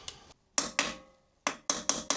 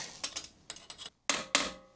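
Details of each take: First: Kawasaki Versys 1000 SE steering stem bearing replacement, new race being driven into the frame using the old bearing: repeated dull, woody hammer blows with no metallic ring yet, so the race is not fully seated. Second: Kawasaki Versys 1000 SE steering head bearing replacement: sharp hammer blows on the bearing race, the last strikes turning bright and metallic as the race bottoms fully in the head with grease pushed out; race fully seated.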